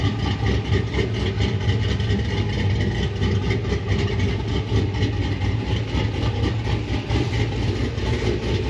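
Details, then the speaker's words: 6.0 Chevrolet Silverado SS after a Brian Tooley BTR Stage 4 truck cam swap, started with the O2 sensors reconnected: a deep, steady, lumpy idle with an even low rumble and no knocks or misses. "no check engine light no no no damn that sounds good huh it feels a lot better too"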